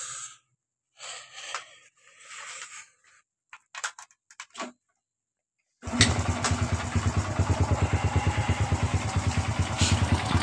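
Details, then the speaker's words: Honda Supra Fit motorcycle after replacing starter gear parts and magneto, previously clattering from left engine side on throttle opening: runs with even, steady beat about two pulses a second, no rattle or scraping. "tapi setelah kita mengganti di bagian dari bagian dari speed tangan ini sudah tidak ada suara gesekan seperti sebelum kita pembongkaran itu"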